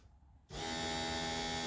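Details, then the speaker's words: Chevy S10 after fuel pump relay replaced with old OEM one, fixing priming issue: silence, then steady electric hum starts as ignition turns on and holds even; fuel pump priming normally. "boom so as soon as you turn the ignition it primes sounds like top and that does that normally"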